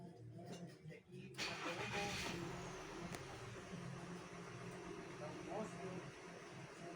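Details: VW Tiguan catches after a short crank and settles into a lumpy, stumbling idle from a cylinder 1 misfire caused by the ignition coils; the check engine light flashes.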